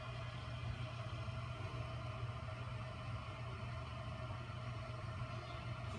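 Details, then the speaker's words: Bezzera Strega heat-exchanger espresso machine after boiler fully drained in repair test: pump refilling the boiler with a steady low hum and even buzz, no rattle or surging, flow rate great; normal pump operation. "so we literally drained all the water and you can see that the water level went down here to the pump and the flow rate is great"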